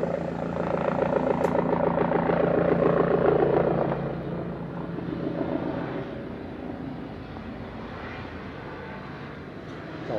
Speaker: when you turn on a diesel burner a 12-volt you should have a you should hear the fan running it should sound like it always sounds normal it should sound like it's blowing real well to get air up into the chamber